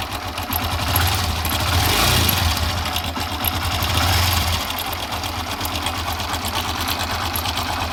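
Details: Small engine idling with a fast, uneven sewing-machine-like clatter: timing chain rattle because the rubber in the worn tensioner is worn out; fixed by replacing the tensioner.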